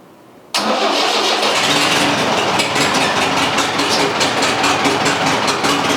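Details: International Harvester 674 tractor engine started after a new clutch, pressure plate and resurfaced flywheel were installed: quiet, then it catches at once and settles into a strong, even idle with a steady exhaust beat, no knocks; healthy.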